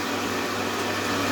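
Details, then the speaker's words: Pool filtration pump restarted after replacing the multiport valve gaskets, with the valves reopened and the valve set to filtration: steady, even motor hum with constant water rush and no surging or air sucking. It runs normally and the leak is gone. "On démarre la pompe. Et voilà. Et vous pourrez remarquer qu'on n'a plus de fuite."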